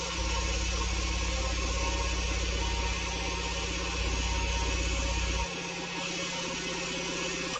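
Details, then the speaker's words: Kobalt 26-gallon Quiet Tech compressor on first pressure-up after pressure switch replacement; steady, even pumping chug at about three beats a second with a smooth motor hum; unloader working, no leaks, holding 28 psi; running normally. "the unloader's working there's no leaks it's holding pressure at 28 psi"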